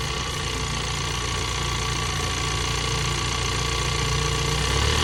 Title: 2022 Bronco 2.3 liter engine noises